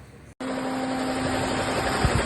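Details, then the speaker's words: 2018 Toyota Corolla at idle, before repair: a constant droning hum at the accessory belt from a worn alternator bearing; only the bearing was replaced, not the whole alternator, and belt tension is adjusted mechanically. "pessoal coroinha 2018 ele tá com um barulho aqui na Correia na Correia vou mostrar o vídeo que a gente fez antes o barulho e a gente trocou rolamento do alternador"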